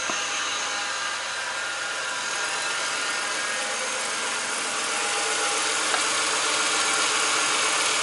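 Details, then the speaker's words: Ford BA Falcon after high-pressure power steering line replacement and pump/reservoir refit: engine idling under a loud steady hissy, whooshing pump noise; air in the power steering system. "It's got the air sound again."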